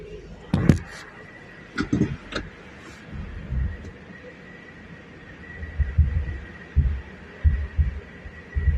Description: Thumping noise from the front end of Subaru outback 2018 2.5i CVT